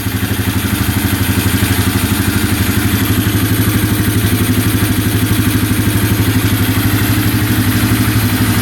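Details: 2011 Polaris Phoenix 200cc ATV after a wiring fix, started with the kickstarter: steady, even single-cylinder thump at about three beats a second, no misses or knocks; healthy idle.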